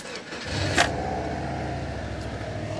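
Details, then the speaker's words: Salvage Subaru Impreza WRX, first start after sitting a long time, no coolant in it: short crank catches at once and settles into steady, even rumble with no misfire; starts healthy. "yes she starts lovely [Music] J oh that Rumble"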